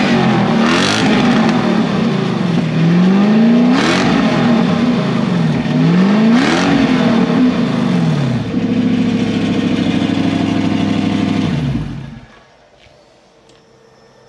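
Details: Toyota 3UZ-FE V8 first run on the reflashed ECU a dealer had bricked, fuel pump in a bucket: smooth, even revs climb and fall cleanly through three blips, then settle and shut off; healthy, no knocks or misses.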